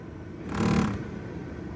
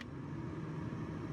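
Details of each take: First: Nissan Note automatic replacement blower motor, fine on speeds one and two; on speed three a steady fan whir breaks into a loud scraping whoosh about every two seconds, fins breaking apart, likely catching the housing. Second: Nissan Note automatic, new heater blower motor just fitted, on the lowest speed setting: steady, even low whoosh and hum with no rattles or squeaks; blower operates normally.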